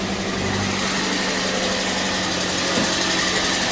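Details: 2012 Toyota Prius C (Aqua) hybrid, code P0560 no-ready-mode fault fixed by replacing a missing fuse; engine now runs with an even, fairly light hum and faint steady whine, constant pace, no misfires or knocks, running normally.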